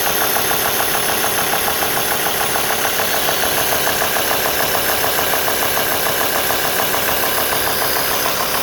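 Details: Alfa Romeo 2.4 JTDm diesel idling at 90 °C water temperature: steady, even knock about two taps per second, clearly above the engine note; strange noise.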